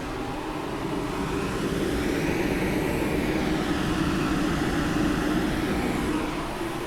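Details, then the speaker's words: TCL Breeva A5 5-stage HEPA air purifier on speed 3, its fastest setting: loud steady rushing airflow with faint hum, no rattle or scraping; fan operating normally at maximum speed. "And then we're going to go to 3, which is the fastest setting, and it's very loud."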